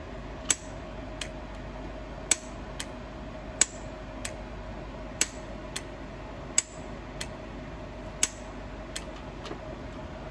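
Crisp, sharp ticks about every half second to second over a quiet hum as the coil is switched; the valve is pulling in properly.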